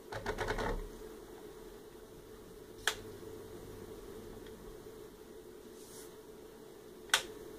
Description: My Fanatec CSW V2 has yet another ticking sound coming from it.